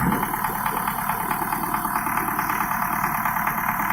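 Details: Idling diesel with a hard rhythmic clatter about twice a second; pump and injectors tested fine on the bench, but one injection pump section was overfueling, and reducing its delivery cured the knock.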